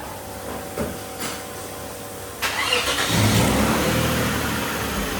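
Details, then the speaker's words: Toyota Mark X after misfire repair (a disconnected pipe refitted): cranks and catches after a couple of seconds, then settles to an even steady idle with no stumble or miss; misfire fixed. "गाड़ी clear हो गई है। एक pipe नहीं लगा हुआ था।"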